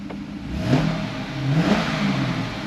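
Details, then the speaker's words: 2011 C6 Corvette Grand Sport with 137,000 miles, after spark plugs and wires were replaced; two clean throttle blips rising and falling smoothly with no stumble or miss, no more check engine lights. "motor seems really happy no issues now that we changed out the uh plugs and wires no more check engine lights everything seems to be pretty good on this thing"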